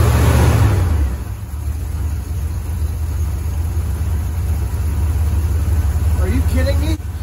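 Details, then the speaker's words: 1973 Ford F-250 4x4 crew cab, carbureted, after carburetor rework: engine catches into a low, slightly lumpy idle at about three beats per second; owner says it would load up, needing choke and revving until warm. "so friends what it would do is fire up and uh it would idle like this and then it would start to load up so bad that it i'd have to come over and put my little choke in there"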